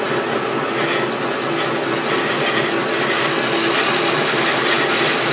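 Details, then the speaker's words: Worn motor bearings grinding on a milling machine motor during a milling cut while machining an R8 arbor; harsh steady grinding hiss with faint screech, bearings need replacing. "man you could hear the bearings on my motor just grinding they definitely need to be replaced"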